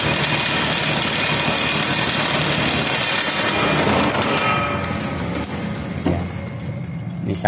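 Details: 1 HP electric motor on a homemade table saw, run through a homemade thermistor soft starter on 1300 W household mains: a steady whirr, then a smooth coast-down after switch-off with no grinding or rubbing. Normal running.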